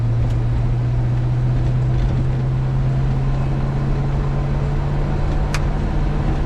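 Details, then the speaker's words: 1973 Chevy C20 with swapped used 4L80E automatic, upshifting into third under way: steady low drone, no slipping flare or clunk; clean shift. "Third. Fourth. And lock up. That's lock up."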